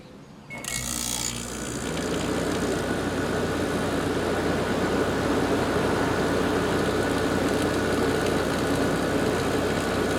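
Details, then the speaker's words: Garage A/C unit's seasonal startup after new capacitors were fitted. A click, then the fan and compressor come up together into a steady, even hum and rush with no rattle or struggle: normal startup. "we're gonna walk in the garage press the power button the fan and compressor will start up at the same time here we go"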